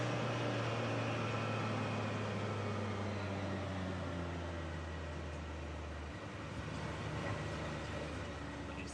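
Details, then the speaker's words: 2019 Can-Am Maverick X3 XRS Turbo R, previously limp mode with P0301-P0303 misfire codes, idling after drive belt replacement: quiet, even hum with no misfire, shut off after about six seconds; fixed, running properly. "all right that looks fixed super happy all it costs took was a belt goodness gracious"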